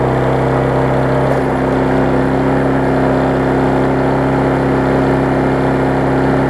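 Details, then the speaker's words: Husqvarna self-propelled mower after service and cleaning: steady, high-pitched even drone with no dips, held well above normal speed; engine overspeed because throttle set too high, to be turned back. "so it's running a little too fast as you can tell so I'm gonna push this back a little bit kind of work on that a little bit"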